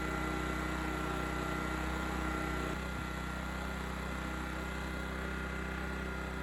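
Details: Honda EX1000 1 kW petrol suitcase generator, said not working, started after adding fuel and choke adjustment, tested with 350 W motor load: steady even hum at constant speed, slight tone shift midway as load changes; running smooth, healthy.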